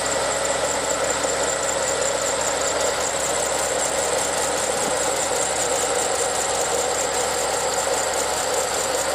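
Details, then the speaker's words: 2005 Holden Clubsport VZ LS2 6.0 L V8 running: constant rough grinding and faint squeal over the idle from the water pump, which is also leaking coolant from behind it; failed water pump bearing. "I don't know if you can hear it on the phone, but on the video, but you can hear a grinding sound coming from in here."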